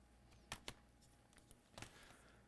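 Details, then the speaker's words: Asus ROG GU502L laptop with battery and charger plugged in, cycling on and off with lights flashing briefly: two sharp ticks a fifth of a second apart, then another tick; double click on failed power-up, persisting after a shorted chip was replaced. "laptop is coming on and off on and off on and off I don't know if you can see the lights they are flashing for a split second then I hear that double tick where is that sound coming"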